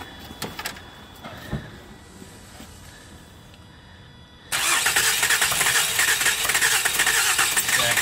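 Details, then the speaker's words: V6 engine with a blown head gasket or head after being driven until it overheated; while cranking, a few faint clicks then loud pulsing hissing as exhaust gas is pushed quickly into the cooling system, bubbling. "so this is called presence of the exhaust gases in the cooling system huh yep and it's being pushed there so quickly"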